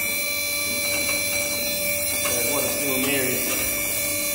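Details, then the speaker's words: Stratos SR40 scissor hoist at full height, override held to purge air: steady electric pump hum with a faint gurgle of oil returning partway through; normal purge operation. "So you can hear the oil coming back to the top."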